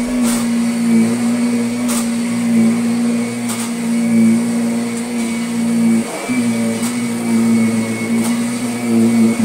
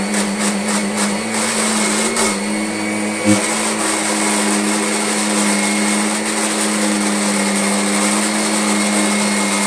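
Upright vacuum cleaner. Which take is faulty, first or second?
second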